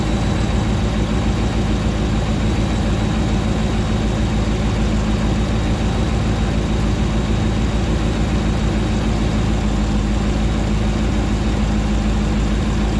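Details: Rebuilt 2009 Hemi 1500 V8 just after first start: deep, steady idle with even low rumble, no knocks or misses, running smoothly while warming; about 87 psi oil pressure, no longer jerking.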